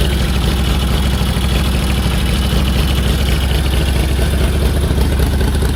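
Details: 1946 Indian Chief V-twin, original engine, restored and revived after 12+ years in storage, clutch linkage adjusted: deep, even potato-potato idle, steady rhythm, no knocks or stumbles; healthy normal idle.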